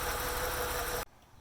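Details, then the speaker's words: BMW 850Ci after replacing the fuel pressure regulator to cure idle surging and stalling: a steady, even idle with a faint mid-pitched hum, running well. "as you can see I have a nice even Idol and you can see the replacement fuel pressure and everything is running great"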